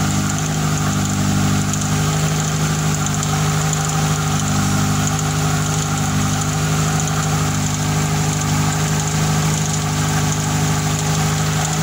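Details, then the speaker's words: Fiat Tempra 2.0 16V, cold first start of the day with the hood open: a loud steady idle drone with an uneven repeating noise under it, about two a second. Source unknown; owner wonders about a rod bearing, piston or some other bearing. "Tempra de munição 16 válvulas fazendo aquele barulho absurdo no motor"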